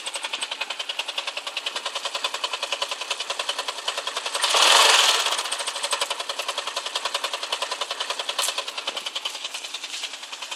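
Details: 135LC motorcycle engine idling with a rapid, sharp metallic knock repeating steadily; the owner does not know where the sound comes from.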